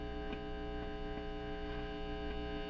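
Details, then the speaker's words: 1980s Marshall solid-state guitar amplifier on test, EQ controls turned up, with a steady low mains hum of even tones and faint ticks; pots sound dirty, ground fault not clearly indicated, cause not pinned down. "That is quite aggressive. And there's that hum again, okay."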